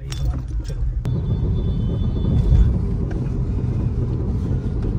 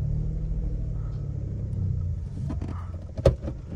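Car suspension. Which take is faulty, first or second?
first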